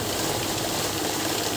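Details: Kavinstar Prime heavy-duty cash counting machine with fake note detection: smooth, even rapid whirring and flutter with no hesitation or jams; the note counter is running normally in continuous mode.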